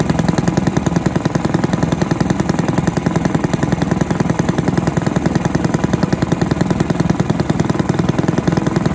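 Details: Villiers 10 petrol engine on an old Barford cement mixer, no choke, single-cylinder puttering at a steady even three pops a second, no misses; compression not excellent, fuel seems to run through even with tap off; normal running.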